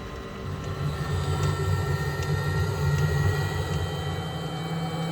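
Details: Narrowboat diesel heater after fuel pump refitted the right way round: steady low rumble with faint regular ticking near four per second, even and unbroken; heater lit and running normally.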